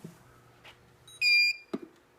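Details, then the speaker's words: EPC RM400 speed control with the auger not turning: about 20 seconds later it gives a single sharp beep roughly every eight seconds while the auger stays stopped. "and about 20 seconds it will start giving us a single beep every eight seconds or so which should come on here just shortly there comes and that'll keep that'll keep beeping at us as long as the auger is not going"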